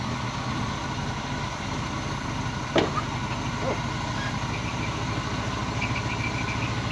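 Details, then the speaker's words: Long-stored Chevy cube van V8 running after exhaust manifold work: quiet, even idle with steady low hum outdoors, no knocks or misses; engine running smoothly. "sounded pretty nice though"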